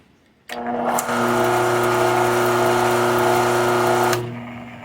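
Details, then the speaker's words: Chicago Electric 6x36" belt sander whose replacement single-phase capacitor-start/capacitor-run motor was rewired to reverse at a switch: it starts, hums steadily and coasts down cleanly, running fine in both directions after the fix. "both directions happy as a clam"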